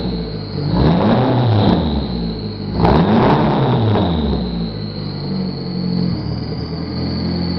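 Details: 1995 Eagle Talon TSi 4G63 petrol engine, 200 miles after timing and balance shaft belt replacement, acting like it jumped time: uneven idle surging and sagging with sharp pops, backfires, and stalling.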